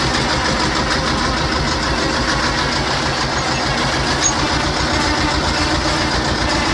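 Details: T-25 tractor diesel after repair: steady, even diesel chug at idle with no knocks or misses, smooth; normal idle.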